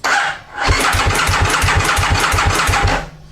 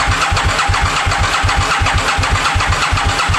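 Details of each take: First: 2000 Aprilia Mille R twin that sat for years, being turned over on the starter only to prime oil to the top end: harsh, dry churning at about six even pulses a second without catching, dry engine cranking. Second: 2000 Aprilia Mille R (RSV1000), sat for years, priming oil by cranking without firing (fuel pump off via safety switch): steady starter cranking about three compression pulses a second, dry-sounding at first then quieting as oil reaches top end; normal cranking.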